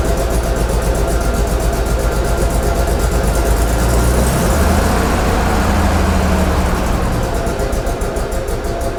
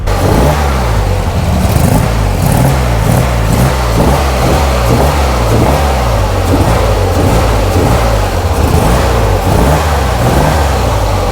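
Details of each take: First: Flood-damaged Corvair first start on custom fuel injection: loud, uneven idle that lumps and wavers, barely staying lit; too much startup fuel, fixed by reducing fuel and warm-up taper. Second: Flood-damaged Corvair flat-six on custom fuel injection, idling about 1,000 rpm running slightly lean: steady low burble with quick, clean throttle blips rising and dropping crisply; snappy throttle response, sounds healthy.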